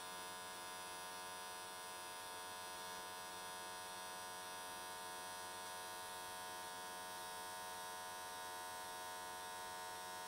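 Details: AC TIG welding S13 catch cans, likely aluminium, on square wave at 95 Hz with adjusted settings: steady, even buzzing hum with no crackle or sputter; normal, smooth, stable AC arc.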